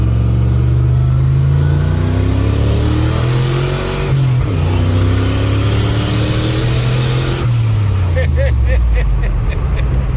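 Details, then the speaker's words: Skull Garage black truck, fresh engine build after a blown head gasket, boost reaching 10 lb, AFRs leaner with timing change: deep engine note climbs strongly, drops at each shift and pulls again; normal acceleration under boost. "went to 10 pounds that time you can feel the difference God that thing pulls hard"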